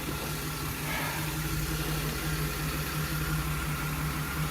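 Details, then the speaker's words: 2008 Chevrolet Express after engine swap, first start, no upper radiator hose, good oil pressure: idle drones with a faint uneven pulse; misfire from a bad NGK spark plug wire on cylinder six. "let this thing try to figure itself out so I got another bad spark plug wire I'm never using ngks"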